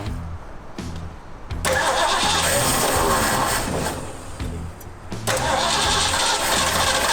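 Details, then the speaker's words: Old Ford Bronco, dusty, first start after fueling: catches and settles into steady even running, no knocks, ticks or exhaust leaks heard; normal running. "Okay. That's good. Sounds really good. Yeah, I didn't hear one exhaust leak."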